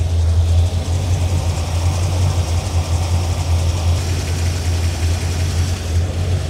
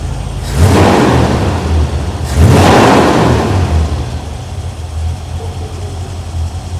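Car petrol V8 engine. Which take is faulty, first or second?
first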